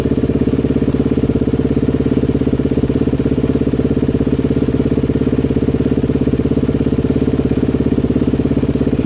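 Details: Healthy 2020 Honda CRF250R single after a full motor rebuild with new crank and piston, first test fire with clutch pulled: crisp, even single-cylinder thump at steady idle, no knocks, rattles or misses.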